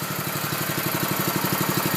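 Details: Honda engine on a Billy Goat sod cutter idling after a start with the choke flipped back off (not cold enough indoors to need full choke); small single-cylinder soft, steady, even putter, no knocks or misses, quiet enough to talk over; normal idle.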